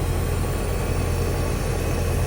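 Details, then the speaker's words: Hayward HP31204T heat pump after replacing a bad capacitor: compressor starts normally with a steady low hum and even rumble. "that, my friends, is what the compressor should sound like when it starts up."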